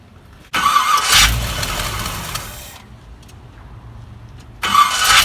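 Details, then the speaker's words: 1974 Chevy C10 with a newer GM factory gear-reduction starter gives two short, harsh grinding cranking bursts; the starter sounds too tight and binding, and the owner thinks it needs more shimming. "uh that is the sound of she needs some shimming"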